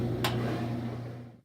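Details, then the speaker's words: Kenmore 500 washer, model 110.29592801, which grinds during agitation on delicate cycle with under a medium load: switched to spin to drain, steady low motor hum with no grinding while the drum spins, then winding down; spin cycle without grinding. "I switch it to the spin cycle just so I can drain it. You don't hear that grinding sound, but everything is spinning."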